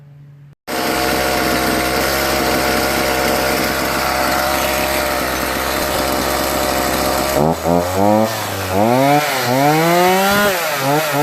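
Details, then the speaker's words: Homelite 42cc chainsaw after a full carburetor clean and rebuild, cured a no-start: catches and holds a steady high buzz, revs up and down cleanly with quick throttle response; idle and revving normal. "idle's good rev's good that's all it needed was a carburetor clean"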